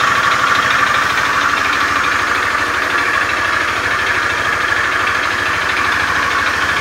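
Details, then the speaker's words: Beat FI scooter with a rough starter, idling in the workshop: a harsh, fast klotok-klotok clatter of about two knocks per second over the idle. Rough engine noise; cause not yet confirmed. "motor teman-teman Beat FI starter kasar suara pada mesinnya kasar klotok-klotok"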